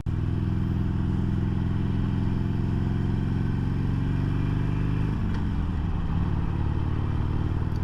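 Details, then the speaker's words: 2022 Harley-Davidson Sportster Iron 883, about 1600 miles, riding: deep lumpy V-twin beat with a brief dip and soft audible clunk on each up- and downshift; normal gear engagement. "audible clicks when you're shifting which is nice because you want to know hey am I in gear or not"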